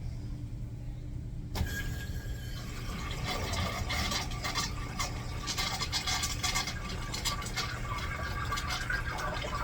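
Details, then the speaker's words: Replaced flush valve on a urinal fed by city water: a sharp start, then an even rush of water that settles, tapers and shuts off properly; normal flush. "That sounded fucking wonderful."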